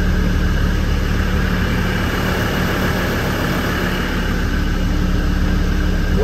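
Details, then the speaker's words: Land Rover Defender five-cylinder diesel, after fixing a no-start traced to a faulty isolator not giving a good ground: steady, even idle with a smooth low rumble, no misses or knocks; running cleanly. "I don't believe it after all that hassle appears to be that isolator which is Diggy not giving it a good ground"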